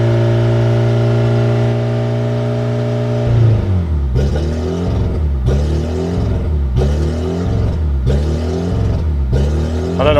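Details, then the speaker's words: Fiat Panda jump-started after sitting for months, with no exhaust fitted: steady drone, then loud, raw, rasping unmuffled blasts rising and falling with each throttle blip. "And I've now got to jump start a Panda with no exhaust. I'm really sorry."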